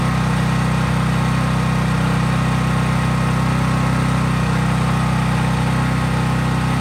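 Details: Craftsman 5000-watt generator after a cold start outdoors, at full governed speed with only an LED bulb plugged in, so no load: a steady, deep, even drone without surging or misses. Smooth, normal no-load running.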